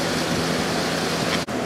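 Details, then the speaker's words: 2003 GE 12,400 BTU air conditioner made by Samsung, just cleaned, fan only before compressor start: smooth, quiet, steady air rush with decent airflow and no rattle or scraping; the fan runs normally. "Nice and quiet now. Getting pretty decent airflow through there."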